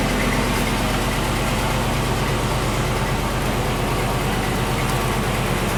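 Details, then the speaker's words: Land Rover 101 Rover V8 at idle after replacing a belt tensioner pulley bearing: smooth, even idle with steady low burble and no squeal or rumble from the belt area; healthy. "I just love the sound of that Rover V8."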